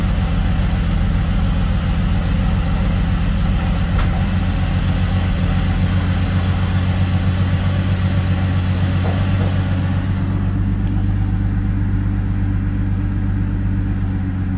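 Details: BMW 330i on a cold start: steady low drone at cold idle with an uneven, lumpy beat underneath; rough idle, cause not evident.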